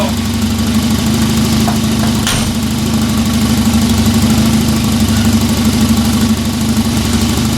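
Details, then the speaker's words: 1994 Volvo 940 Turbo wagon, B230FT inline-four turbo, 210,000+ miles, at idle: fast, sharp puffing tick at about three per second over steady idle, an exhaust leak at the turbo also heard and smelled in the cabin. "turbo area not a real big surprise there we could actually hear it smell it a little bit in the cabin"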